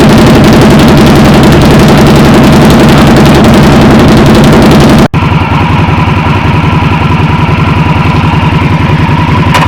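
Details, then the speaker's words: 2020 Indian Scout Bobber V-twin idling after fitting Vance & Hines 3-inch Slash Cut slip-ons in place of the stock exhaust, no flash tune yet: deep, loud, even lumpy beat, no knocks or rattles; loud but a good kind of loud, normal running. "actually the sounds growing on me it's it's loud but it's a good kind of loud so I highly recommend these"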